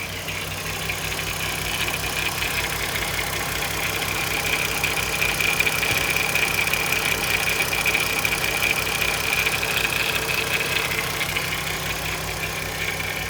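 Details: Audi TT 3.2 VR6 at steady idle with a light, fast metallic rattle riding on top, about two or three ticks a second, sounding like timing chain noise; timing chain suspected, not confirmed.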